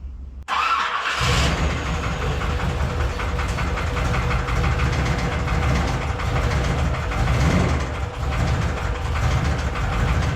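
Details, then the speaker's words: 1981 Corvette V8, after retiming the distributor by a tooth: it catches into a lumpy run with a rough, uneven top-end clatter. The owner says the lifters sound rough; a loose rocker and bent pushrod are suspected. "A little more. Those lifters sound rough."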